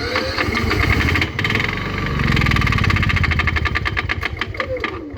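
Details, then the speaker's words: Honda EU7000is generator with start-then-stall problem, oil later found overfull: catches and runs roughly with sharp repetitive click or possible knock, then sags and dies; owner plans to find and disable the knock sensor. "there's quite the click so we're going to try and find the knock sensor see if I can disable it so it actually runs and see what it sounds like once it's running"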